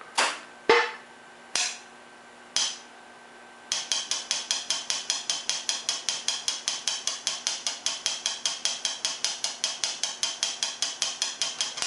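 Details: Air dryer at switch-on: a few loose clicks, then a crisp steady clicking of several per second. Cause unclear.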